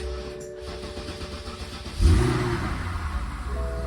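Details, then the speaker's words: 2008 BMW 550i 4.8L V8 automatic, low mileage, no-start traced to shifter; after moving the shifter it cranks quickly, catches and settles into a steady even idle without misses or knocks; normal start and idle. "préndelo más bien está nítido"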